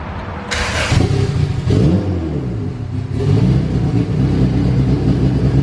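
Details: Honda Civic Si EK coupe, bone-stock B18C1 GSR with Precision turbo, new BKR7 plugs, high-impedance injectors checked: catches and revs unevenly, stumbling between blips, smells "like a pumpkin", "sounds cam"; rough rich running, fuel pressure regulator at 30–35.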